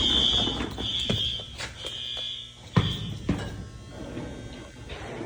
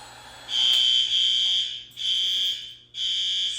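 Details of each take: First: Oh, we got it all right. Yeah, we heard her go. The horn that he put on is functional. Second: Fire alarm horn heard through a closed door in a middle school crawl space during annual testing, near transformers: three long shrill blasts with short gaps, dulled and distant; quieter behind the door, so another horn is being considered.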